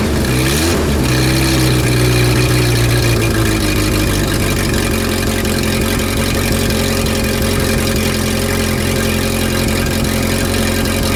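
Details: Renault R10 after 20+ years sitting: engine catches, blips up, then settles into an even steady run with firm low beat, no knocks or misses; no exhaust smoke.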